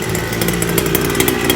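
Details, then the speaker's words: Small two-stroke during break-in, running in a smoky garage with the fan on and the door open; the idle is richer than intended. It buzzes high and a bit burbly with light irregular crackle, nothing wrong yet. "Break the thing idle. It is richer than where it's supposed to be. Gotta turn the fan on."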